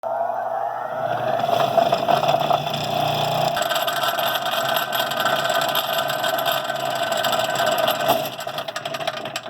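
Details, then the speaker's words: Rikon slow-speed bench grinder running very rough; steady motor hum with a rough buzzing rattle throughout, vibration from out-of-balance grinding wheels that usual cures did not fix, later solved with Rikon support's balancing and truing. "Wow so that was really a rough running grinder and I worked on it with some of my usual cures but they didn't quite do the trick for me"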